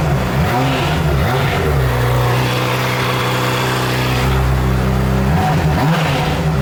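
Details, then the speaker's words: Crash-damaged 2007 Honda CBR600RR inline-four being rebuilt, on the stock exhaust after the Two Brothers exhaust was removed: revs up and settles smoothly with even firing, no knocks or rattles; sounds healthy. "I screwed up and should have started it with the Two Brothers exhaust I just removed, but here's what the stock one sounds like."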